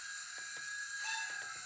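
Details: Hornby Hogwarts Castle (Hogwarts Express) model locomotive, older non-DCC-ready, hard-wired Zimo decoder with YouChoos Hall class sounds, sound turned off for the test: faint steady high motor whine with light drive ticking, motor running smoothly forward and reverse.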